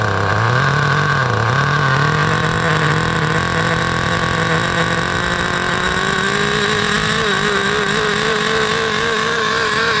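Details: 2008 Duratrax RTX-27 1/8-scale nitro monster truck restarted after leaning the mixture half a turn: high buzzing note holds steady and climbs slightly, clean and even with no stumbling or sputter; healthy running.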